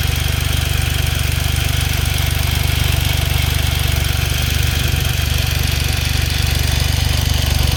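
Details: Smart Roadster engine at steady idle: regular light clacking about four times a second over the engine hum; owner asks if it is normal, suspects valves or timing chain; unconfirmed.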